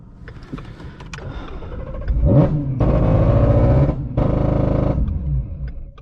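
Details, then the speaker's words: Ford Mustang GT350R with stored codes and a suspected throttle body problem: uneven, stumbling revs that surge and drop, with a lumpy idle between pulls. Rough running; the owner suspects a crank sensor issue, not confirmed. "Sounds like a crank sensor issue or something. I think it's a crank sensor issue of some sort."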